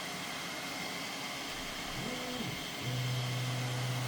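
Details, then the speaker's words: Bambu Lab A1 Combo 3D printer cleaning its print head before printing; quiet hum with short stepping-motor tones sliding up and down, then steady buzz; normal nozzle cleaning routine. "My old printer didn't clean the print head, it just made a mess."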